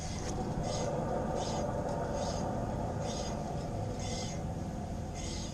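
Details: 2013 Buick Lacrosse, driver's side rear wheel spinning (passenger side quiet): steady low growl with rhythmic swish each turn, worn rear wheel bearing before replacement.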